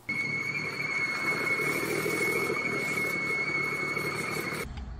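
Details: Idling engine with a failed PCV valve diaphragm: steady high-pitched whistle or hoot; fix is a new PCV diaphragm.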